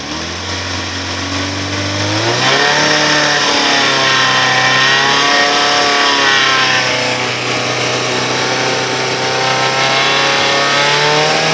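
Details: Yamaha XJ 600 S Diversion four-cylinder revving with a quick metallic ticking over the engine note, caused by a completely loose exhaust clamp between header and muffler.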